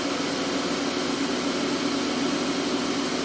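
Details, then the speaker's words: 2013 VW Tiguan idling, shaking badly with an uneven, stumbling pulse; misfires on all cylinders, counter showing number four; intake runner error, lean and fuel pressure codes; no crankcase vacuum. Injectors and intake manifold replaced and intake valves walnut blasted. "you can see it's missing right now it's shaking like crazy and it was founding misfires are number four"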